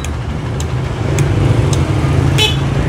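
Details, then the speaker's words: Honda Beat scooter, electric starter button pressed with key on: faint sharp clicks roughly every half second over low background rumble, engine never turns over; battery voltage barely drops, so battery judged still good. "bunyi cetik-cetik teman-teman tapi akinya enggak terlalu turun drastis ya ini menandakan akinya masih bagus atau masih kencang ya teman-teman"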